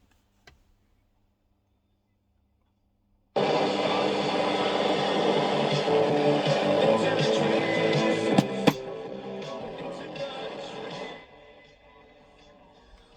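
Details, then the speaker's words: General Electric Hong Kong valve radio under repair, speaker suspected 40 ohm: clean, undistorted broadcast audio steady for several seconds with no crackle or hum; clear audio output, radio working. "So the radio is working. And you can hear it."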